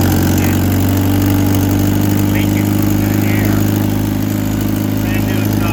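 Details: Vehicle with a bad Rochester carburetor, first start in almost a year on choke: steady, slightly uneven idle with a faint puffing beat of three or four per second; exhaust leak and poor running from the faulty carb.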